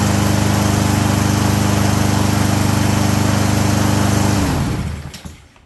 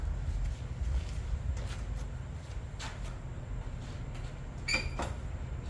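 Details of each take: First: Push mower with a leaking carburetor bowl (missing bowl gasket), after a too-long cable was wrapped to fit: small engine runs steady with an even beat near 214 per minute, then cuts off and winds down; healthy running. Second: Push mower pull-start cranking with uneven chugging bursts that never catch; no spark because the loose, newer-looking kill lever safety cable doesn't pull the safety far enough back. Carb bowl gasket had been left out, leaking gas.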